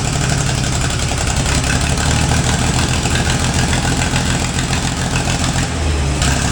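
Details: Gleaner A combine with a 230 cubic inch Allis-Chalmers engine, sat many years with a rat nest in the exhaust, after a wiring fix: steady low idle with an even beat and no knocks or rattles; normal idle.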